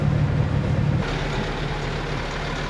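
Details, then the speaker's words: Boat diesel engine with transmission engaged after ATF fluid changes, checking for earlier grinding: steady low rumble, no grinding or clunking; normal transmission engagement. "Nothing obvious so far. Sounds okay. Alright, so that sounds good."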